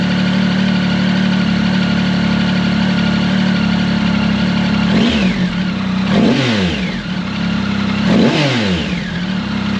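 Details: Triumph Tiger 1050 Sport with new Lextek RP1 full exhaust (baffle in) replacing cracked downpipe: smooth steady idle then three quick clean throttle blips; normal idle.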